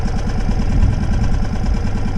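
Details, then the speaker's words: Brand-new outboard on a sailing boat, first-ever start after priming, idling in neutral for the recommended 10-minute break-in warm-up before raising revs; even, steady low putter with no knocks or misses, healthy normal idle. "So I'll let that run now for 10 minutes as recommended. For first time starting up, they recommend 10 minutes to let it idle for before you start moving up the ladder on the rev counter."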